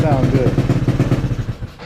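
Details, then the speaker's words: 2013 Yamaha Zuma 50F scooter, previously running badly, owner planning new plug: small single putters at a quick even beat, about eight pulses a second, no misfires, then settles and fades; normal idle. "and of course I crank it up and it wants to sound good"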